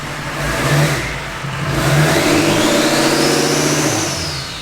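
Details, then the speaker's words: K20 pickup with Duramax diesel swap, stock turbo (louder whistling turbo planned): deep diesel rumble rises with each throttle blip while a clean whistle climbs and falls with revs; normal stock turbo spool. "That's the stock turbo. Imagine when we get the loud whistling turbo on there."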